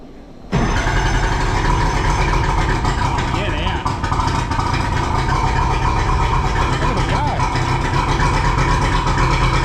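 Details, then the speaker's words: Two-stroke outboard on a tinny, unused for at least 8 years, started with what is thought to be the choke on: it catches and settles into an even, busy two-stroke burble with no misfires, a healthy start after long storage. "Oh. Uh, this is not a stitch up. That thing literally hasn't run in I reckon at least 8 years."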